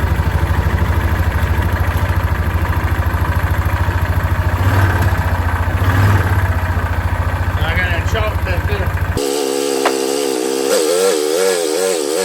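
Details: 2006 Yamaha Rhino 450, in neutral with thicker-weight oil added to soften knock: rough idling single with steady low thump under uneven beat; owner suspects low-end knock, cause unknown, rebuild planned.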